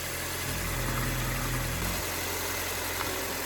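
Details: 2006 Audi A6 C6 2.0 TFSI (BPJ/EA113), after PCV valve replacement for jerky cold start, vacuum leak and codes P2279, P2177, P0507: petrol engine idles with a steady low hum, even rhythm, no stumble; normal idle.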